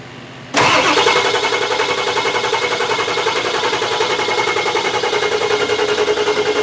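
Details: Ford Excursion 7.3 Powerstroke diesel after a 500 hp build (hybrid injectors, dual fuel pumps, bigger turbo) on its fifth start attempt. The starter turns it over steadily at about 3.5 turns a second and it never catches. Crank no-start while high-pressure oil is still priming up top.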